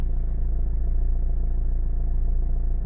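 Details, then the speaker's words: Renault/Dacia 1.5 dCi diesel (Megane) with one failed injector, after warming up past the cold-misfire phase: even, steady idle with regular low pulses and no stumbles or missed beats; normal, stable idle. "And actually it's ticking over now lovely. You see? There you go. And now the car is stable."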